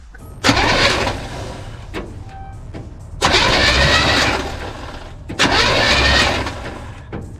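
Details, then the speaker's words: New 350 V8 in a 1962 Chevy C10, fresh oil and filter, cranked before the spark plugs are installed to confirm it spins and isn't locked up, with oil pressure showing; three steady two-second starter bursts, engine turning freely; normal cranking. "i want to make sure that the engine is uh turning over and like actually spinning it's not locked up"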